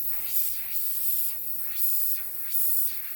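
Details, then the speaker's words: 2006 Honda Odyssey tire, nail just pulled out before plugging with a plug kit; sharp hissing in repeated bursts about once a second over quiet background, air escaping the nail puncture; tire air leak. "So here goes the nail. Hear that air?"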